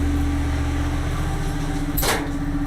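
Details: Standby generator test start via transfer switch before a storm: steady, even hum with a brief clunk and rush as the transfer switch moves load from normal to emergency power (about 207 V); holds speed smoothly under load.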